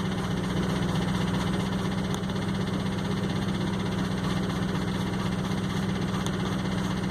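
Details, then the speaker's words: 2004 Ford F-150 crew cab 4x4 at idle after clearing codes: uneven lumpy idle, irregular stumble two to three times a second under steady hiss; misfiring cylinder, suspected large vacuum leak. "we're going to shut it down and then when it shut off you just hear that that wailing noise again or it was sucking air so right there's got to be a pretty good sized vacuum leak"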